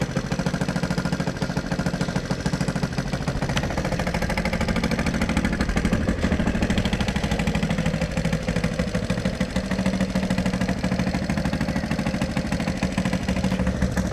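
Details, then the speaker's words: XR100 single-cylinder, first start after 6 years stored and rebuild, new carb, idling on choke: even steady putter, no misses; owner wants timing and carb checked, says idle drops toward stalling with choke off. "So yeah, she's idling pretty good. I think it's going to need you know, like a good motorbike mechanic to make sure the timing's spot on and the new carb is dialed in right."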